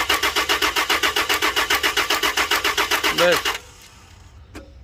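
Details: Toyota Land Cruiser crank-no-start: about fifteen even starter pulses at roughly four per second, then stops without firing; cranks but won't start, cause suspected, not confirmed.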